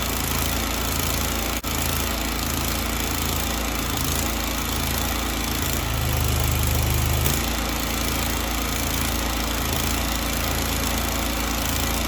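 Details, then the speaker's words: Grasshopper 727KW mower, Kawasaki FD750D twin, after cleaning the gummed-up side of the double-barrel carburetor: even, steady putter at constant speed with no stumbling or skipped beats; now running cleanly on both cylinders. "well that sounds much better um so again we weren't firing on this cylinder and it wasn't a coil issue it wasn't a spark plug issue"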